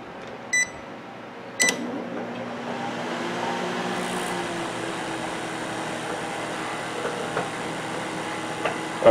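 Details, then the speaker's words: Sharp Carousel microwave oven running after repair of heavy sparking and loud noise: keypad beep, click, then steady even hum with fan noise, no crackling or popping, no spark or burning smell; normal operation, no arcing. "you see it running so far there's no spark no low noise nothing's going bad nothing smells like a burning bar"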